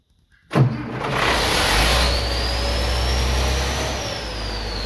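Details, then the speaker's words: 3588 engine just after rebuild, fuel lines bled, started at once: brief rev then smooth, even low drone, no knocks or misses; rockers oiling well, one water hose still off and leaking slightly; normal idle. "sounds good it's oiling good rockers got plenty of oil on them"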